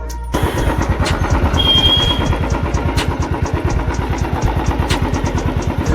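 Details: Royal Enfield Classic 350 UCE BS6 after engine repair and full master service, ready for delivery; before the work it had a sudden engine noise. It fires and settles into an even, steady single-cylinder thump at idle, no knocks or misses. Normal idle.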